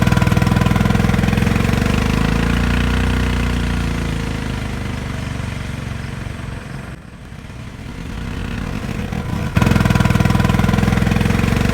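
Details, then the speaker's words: Honda Insight converted to a 212cc lawnmower engine with torque converter: engine drones and climbs under acceleration, then about 4–5 seconds in (around 15 mph) revs sag and settle as the converter locks up; normal. "listen to the engine as the car accelerates about four to five seconds into the acceleration you can hear the torque converter finally lock up"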